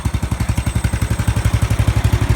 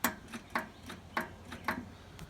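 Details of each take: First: Murray riding lawn mower after replacing the starter solenoid with a universal one: even, steady single-cylinder putter at constant speed with no misses or knocks; normal running. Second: Riding lawn mower, key turned: sharp repeated clicks, about three a second, with no cranking. Solenoid clicking points to the starter solenoid as the likely culprit, to be tested and replaced with a universal solenoid.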